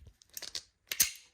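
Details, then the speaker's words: 1951 Vendo 39 Coke machine coin mechanism crank assembly, tested after restoration: a few light ratchet clicks as the levers lock, then one crisp snap as they spring back home; it returns cleanly and works as it should. "you should hear that clicking. As you hear that is locking that down."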